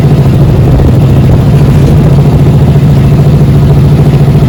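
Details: 2009 Honda Wave 110i S3 single-cylinder after throttle body cleaning to fix stalling on pull-away. Loud, steady low thumping about three to four beats a second, even and unbroken; normal idle.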